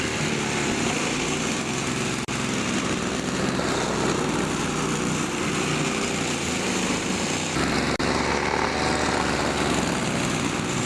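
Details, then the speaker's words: Toro two-cycle snowthrower test run after the carburetor diaphragm was replaced and the carburetor rebuilt: it runs with a steady, even buzz, holding speed with no misses or surging, and the engine sounds healthy. "I had to rip the carburetor apart numerous times but I finally got it so I've got it all back together and I'm going to give it a test run"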